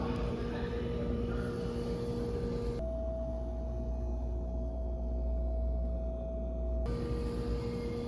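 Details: Whirlpool refrigerator, comparing the display unit's sound at Lowe's with the unit delivered home: a steady mid-pitched hum stands out over the running fridge without change; abnormal tonal hum, cause unknown.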